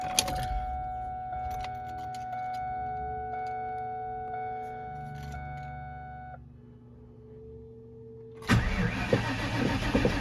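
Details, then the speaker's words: 2001 Mustang Bullitt V8 with dead battery (used donor battery failed): chime, brief crank, then catches into loud idle once boosted by a big battery charger. "That's the update. Another dead battery. So we'll see how that goes."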